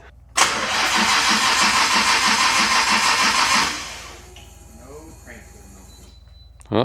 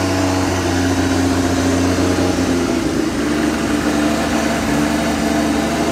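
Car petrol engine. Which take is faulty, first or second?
first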